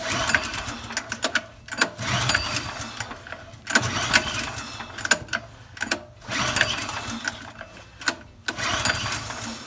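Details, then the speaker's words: Old TQ3600 generator with a TQ 7 hp engine, pulled with the choke on. Repeated rasping recoil pulls about every two seconds with no catch: cranks but won't start. Owner suspects a dirty carburetor. "So nothing yet. If we do get a little bit of a little turnover, what that's gonna tell us is just that the carburetor is probably dirty."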